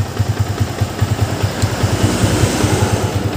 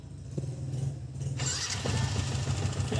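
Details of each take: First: Yamaha Vixion new model after engine block replacement and reassembly, owner had complained of rough, noisy engine and block leak: even thumping idle about two beats a second, no cam or timing-chain ticking or knocking; normal idle. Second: New-model Yamaha Vixion, owner complaint: rough engine and leaking block after a recent block replacement; it settles into a choppy, uneven idle with a harsh rattly edge; the mechanic suspects the cam chain (keteng), with the auto tensioner converted to manual.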